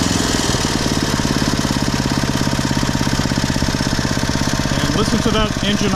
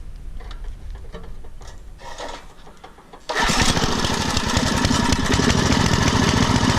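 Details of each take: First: Poulan/Weed Eater VIP garden tiller, 5 HP Briggs & Stratton single-cylinder, 15+ years old, on old gas after tune-up (new plug, air filter, oil, mixture-screw adjustment): steady even putter about three beats per second, no longer revving up and down; normal idle. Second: Poulan/Weed Eater garden tiller with a 5HP Briggs & Stratton engine, over 15 years old and unused for over a year, just started and warming up before its tune-up: a rough, wandering beat that revs up and down at idle. The tune-up, including a carburettor mixture screw adjustment, later fixed it.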